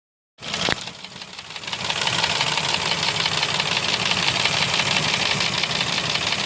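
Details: Mercedes M112 engine with scored cylinders/pistons, driven knocking for three months: right after start-up a sharp, fast knock about three a second over idle, piston slap from cylinder wall scoring.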